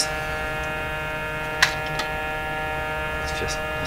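Steady, even hum with a buzzy edge sits under the radio output, with no change in pitch or level, plus a couple of faint clicks.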